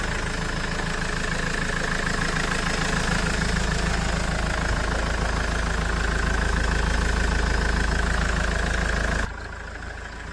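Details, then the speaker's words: Mahindra XUV500 W10 diesel started after a long time, microphone held near the engine: steady, even idle beat with no knocks or rattles standing out; owner finds it fine, normal idle. "என்ன பொறுத்த அளவுல பைனாதான் இருக்கு."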